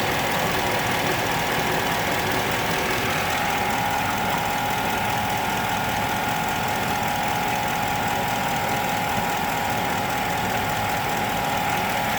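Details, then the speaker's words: 2007 Chevy Avalanche 5.3L Vortec V8 with AFM, 124k miles, warm at normal operating temp in 30°F weather: steady idle with fast light ticking, seemingly from the right side; no codes, misfires or exhaust leak, oil pressure above 40; cause unknown. "it sounds like it's coming more from the right side of the motor"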